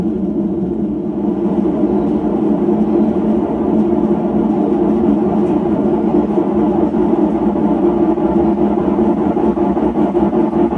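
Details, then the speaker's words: Hotpoint (lower-end GE-made) washer: a slight roar during the slow spin, growing louder as the drum spins up to speed. Worn drum/tub bearings; the repair choice is bearings versus a new gearcase. "And I can already hear that the bearings are compromised on this machine. You can hear that slight roar."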